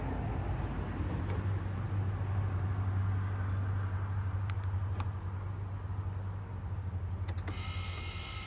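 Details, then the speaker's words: Toyota/Lexus 1UZ-FE/2UZ-FE V8 after belt tensioner pulley bearing replacement: cold start, smooth even run with a steady low secondary air (SAS) pump drone that shuts off and fades; normal. "SAS pump is gonna shut off now. Oh, it's off now. Now you guys can hear the engine."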